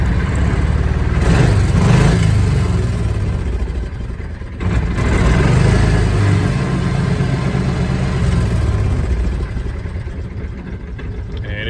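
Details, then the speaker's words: Kawasaki Mule 2510 after fixing weak throttle return spring that let throttle stick above idle; slight hesitation when cold: revs up then drops cleanly back to steady, even idle with no hang; problem solved. "returning back to idle every done problem solved"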